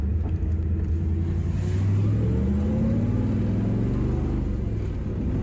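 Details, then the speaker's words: Carbureted V8 (Tempest) on street test while tuning for altitude, lean main jet with higher power valve: deep, lazy, blubbery burble pulling sluggishly; running overly rich, AFR 11s–12s, 13s at idle; plan to lean transition and drop a primary jet. "it's fat you can just hear it it's running overly rich just sluggish now you can see it on the afr 11s and 12s"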